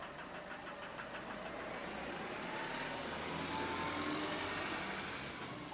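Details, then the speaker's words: Loud diesel bus idle with a fast regular knock about three or four a second; owner had thought the clocking was exhaust, now believes it is the pistons/rods and that it shouldn't be that loud. "bro all this time all this time I thought it was the sound the bus was meant to make I thought it was meant to make it that noisy I thought they just got spare parts and they just refitted it bro it's not meant to be that loud it's actually a problem when it's that loud"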